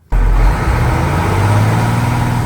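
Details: Mechanical Cummins diesel in a Ford after hand-priming the fuel supply system, having earlier barely revved: engine catches and settles into a smooth, even low rumble with no misses or stumbles; now running properly.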